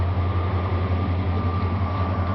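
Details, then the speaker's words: 1999 Dodge Ram 1500 5.2 L (318) V8 with intermittent rough running and no-start from a bad crank sensor; here a steady, smooth, even idle with no stumbles or misses while attempting to recreate the rough running. "so what we'll do here is we'll start it up and uh see if I can recreate the uh the rough running okay she's running pretty smooth right"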